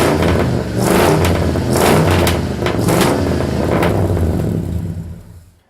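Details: 1972 Ford Custom V8 after cold start: several quick throttle blips rising and falling cleanly over deep rumble before shut-off; revs freely, normal revving.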